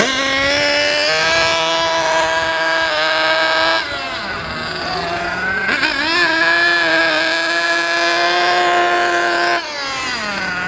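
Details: JQ Products THETR small nitro RC engine during break-in, after two tanks of fuel, idle screw being lowered from too high: high, buzzy, even idle dipping briefly twice, then steadying; normal idle.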